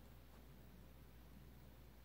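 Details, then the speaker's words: Vintage Supreme Mk. I 52" spinner ceiling fan (Taiwan, stamped vented motor) on low speed: only a faint steady low hum, no buzz, almost dead silent, showing the winding is not burned. "there's low speed it's an okay low I'd like it to be a little slower but it's not bad it's almost dead silent on low though"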